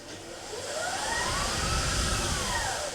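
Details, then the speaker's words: 2018 Permobil F5 brushed drive motors fitted in a 2021 F3 power wheelchair, after cleaning, commutator sanding and lubrication, full speed: loud, coarse drone rising and easing as chair moves; still loud, reverse quieter, cause unclear. "It's still loud. [Music] Going backwards is quieter for some reason."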